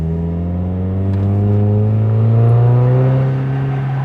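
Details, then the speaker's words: Mazda Miata back on the road after nine months sitting broken, camera mounted outside: smooth, even pull, note climbing steadily as revs rise through the gears, no misses or knocks; engine healthy. "Oh yeah, boy, how did that sound, huh? Here we go, let's rack through the gears."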